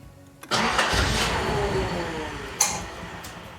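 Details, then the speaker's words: Nissan 200SX turbo, cranking: engine lurches into a rough start with a sharp pop about two seconds in and smoke out the intake; probably an intake backfire. "Why you don't run now? Oh, it sends some smoke out the intake? Probably backfired."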